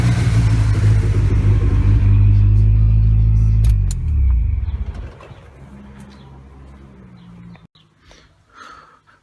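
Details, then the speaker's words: After a new turbo install, the blow-off valve has a spring that is too stiff. On lift-off after a hard rev there is a fast chopping flutter of about four pulses a second as it winds down. This is compressor surge, which harms the turbo. "the car is uh you know it's it's fluttering really bad and basically that not the flutter but that chopping sound that you hear uh that is your turbo trying to chop through pressurizing air that's called compressor surge"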